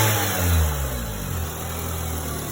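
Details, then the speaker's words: 2002 Honda Civic EX coupe after bypassing a failed AC compressor clutch with another belt: starts and revs smoothly, settles back with no whine; previous whining sound gone. "starts up nice [Music] running smoothly I don't know if you guys can hear me motor but I just bypassed the AC sounds good runs good"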